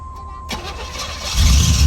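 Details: 1987 Camaro IROC with 305 TPI V8, sitting 13 years, recranked to warm up and check a valve cover: short crank, then it catches at once and settles into a strong, even idle; clean start.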